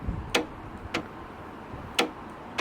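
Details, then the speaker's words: Land Rover Freelander 2 tailgate (boot) release after reconnecting the handle button wiring: four crisp clicks as the button is pressed; latch release working normally. "So moment of truth. So we shut the boot and we open the boot."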